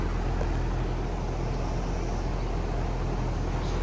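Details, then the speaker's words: Goodman AC condenser, fan running, before the capacitor is replaced: a steady low hum and buzz that then stops, with no start-up surge; the compressor is energised but not turning over, blamed on a failed run capacitor. "every now and then you'll hear that hum that buzzing and then it'll stop so we're gonna go ahead and pull this then we're gonna do it one more time before we put the new capacitor on"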